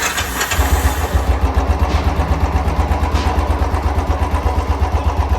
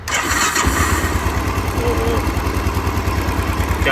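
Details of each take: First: तो इसके अंदर इंजन के अंदर शो रहा है बत ज्यादा तो एक बार आपको चेक कराएंगे किस चीज का शोर है Second: Motorcycle engine after teardown and cleaning of internals and oil screen for engine noise/missing complaint, run with a fuel tank fitted checking oil pressure; steady even thumping idle, no knocks or rattles.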